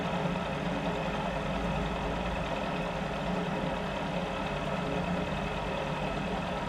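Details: Mill spindle after repair, light 1 mil depth of cut with a possibly dull cutter: even, steady cutting roar with no chatter or rhythmic knock, much better than before repair at the same depth; normal cutting.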